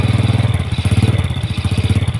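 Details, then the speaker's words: Yamaha Jupiter Z single-cylinder idling smooth after the noisy clutch was fixed with one added ring; a hard chuffing puff on every firing pulse reveals a leaking exhaust. "Dan ini ada suara knalpotnya bocor ya, Teman-teman."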